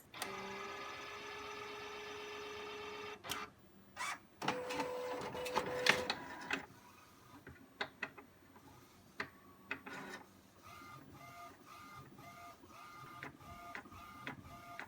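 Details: New Epson SureColor P600 printer, first use, printing after turning off auto ink change: motor whirs, then soft ticks and short carriage passes repeat evenly, about three a second, in a quiet room; prints came out with a purple cast, printer runs normally.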